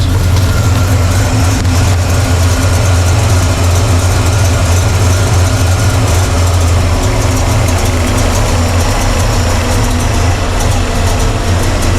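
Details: Chevy Blueprint 350 V8 in a Squarebody with poor vacuum, owner suspects vacuum leak, timing or air/fuel mixture, mixture screws being adjusted: deep loud idle with slightly uneven loping beat that never settles; rough idle, cause unconfirmed.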